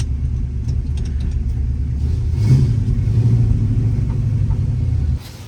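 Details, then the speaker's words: 1964 Pontiac GTO 389 Tri-Power, 4-speed, pulling away under load: deep V8 rumble with faint irregular knocks as the driveshaft bounces off the floor; suspected broken transmission mount, possibly from the clutch being dumped. "Now it sounds like the drive shaft is bouncing off the floor, so I think the tranny mount might be broken. Oh yeah, I think the tranny mount's broke."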